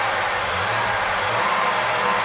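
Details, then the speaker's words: Freshly rebuilt 1964 Pontiac 389 V8 at 180 degrees with electric fan running, less smoke now: steady, even low idle under loud fan rush, no knocks, misses or surging; engine sounds normal and healthy. "everything seems to be just fine when you rev it up it goes to normal on this"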